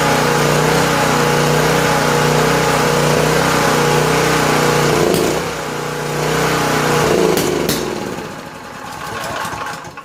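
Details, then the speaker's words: Honda EG2500 generator, stored 4–5 years: engine holds a steady beat about five seconds, then falters, surges once and dies. Owner thought it was starving for fuel, but the carburetor bowl drain showed plenty of flow, no water; cause unknown. "Certainly running out of gas. So let's see what kind of fuel flow we have."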